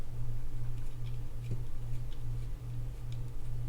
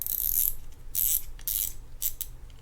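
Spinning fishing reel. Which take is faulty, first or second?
second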